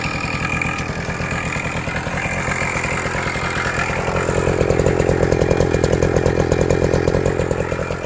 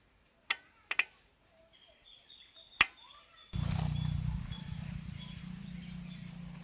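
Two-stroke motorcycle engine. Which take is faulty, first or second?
first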